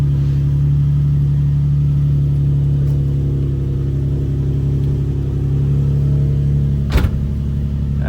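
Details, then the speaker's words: Infiniti G35 VQ engine after new battery: smooth steady low hum at idle, even beat, no misses or knocks, one brief click; healthy start and idle. "But, start her up. Oh, yeah. Sounds beautiful."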